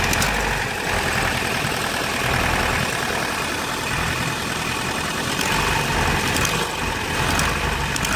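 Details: Vauxhall Astra G 1.6 8v X16SZR: uneven, stumbling running with irregular clicks; massive misfire when cold but fine when warm, clicking always present when accelerator pressed; cause of both unknown.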